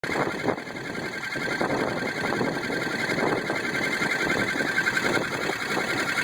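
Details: 2002 Jeep Grand Cherokee 4.7 V8 running: fast light ticking about three to four per second, unchanged however far it is driven, quieter at higher speeds; full power, no misfire, good oil pressure, source unknown; engine ticking noise.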